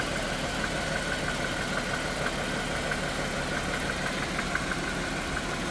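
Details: Dodge/Chrysler/Jeep/Ram 3.6L V6 at idle: light uneven tapping up top about two per second over steady hum; rod knock, worn connecting rod bearing.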